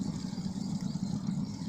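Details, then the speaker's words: Submersible well pump with a steady low hum broken by uneven gurgling bubbling, drawing air near the water level; low water table and weak flow, tank filling in 10 minutes instead of 4; owner suspects low water or a broken pipe. "Bueno hoy es el día y con mis amigos vamos a levantar los caños porque ese ruido sin mi bomba como burbujas o tiene un caño roto"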